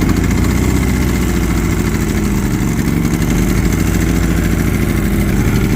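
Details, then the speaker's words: Predator 3500 generator that would not start, first start after repair and reassembly: even, steady low putter with no misses or surging; small engine running smoothly and healthy; normal running. "all right as you see here this generator that wasn't working now it's working again guys"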